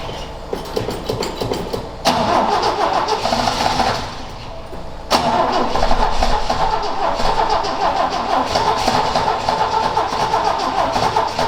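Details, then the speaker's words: XA Ford Falcon wagon, parked outside unrun for years with unknown history: long cranking leads to ragged, uneven firing that catches and stumbles without settling into an idle. Owner suspects it is nearly out of fuel again. "this sound like it's nearly out fuel again"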